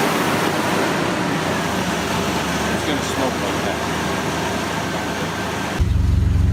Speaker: right now we are mixing the coolant and then we're gonna put it in and turn it on that's the sound of a car that's alive